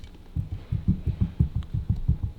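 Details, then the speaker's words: 1948 Buick Series 70 Super gearbox with the tail shaft removed and the mainshaft turned: a low, lumpy rumble pulsing about six times a second from a worn mainshaft bearing. "Right, so that's your main shaft, yeah? Hear that rumble? Yeah. That bearing's"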